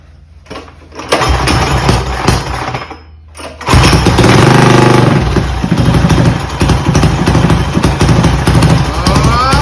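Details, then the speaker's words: Mega Moto 212 mini bike with modified Predator Hemi engine and Mikuni carburetor, during idle and mixture screw tuning: single-cylinder putters, dies when throttle applied, then catches and runs rough. "Why did it quit when I tried to give it throttle?"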